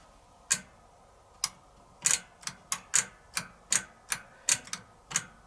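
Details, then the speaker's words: Servis (Eudora) 386 compact 3kg washing machine with a single 550 rpm spin speed. Sharp, uneven clicks once or twice a second over a quiet background come from the mechanical timer cog being ratcheted round; it clicks 10 times faster on spin: normal timer clicking. "so that's why um when while it's running you always hears clicking and on spin it clicks 10 times faster because it's clicking"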